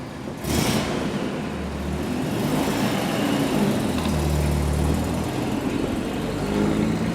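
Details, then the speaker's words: Car restarted after refitting what the owner believes is the idle control valve, the suspected cause of a high idle: the engine catches and settles into a steady idle, a touch high at first, with no surging or bucking. Fixed, normal idle. "let's see if that's fixed it I hope has I think it's idling there yeah it was idling quite High"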